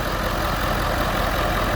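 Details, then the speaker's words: Ford F350 diesel after repair of a blown intercooler cold-side pipe. Even, steady diesel clatter at idle with no hiss or whoosh from the intake side. Idling smoothly and healthy again. "she sure do sound better oh yeah she's back in the game again y'all"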